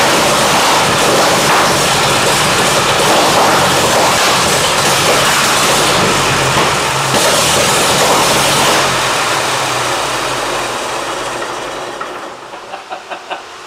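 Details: 1923 Seagrave 1000 cid six-cylinder, fire-damaged and left sitting outside for years, on its first start. It uses a 1-4-2-6-3-5 firing order. It roars at a fast, even beat, fires cleanly without misses, then winds down and stops.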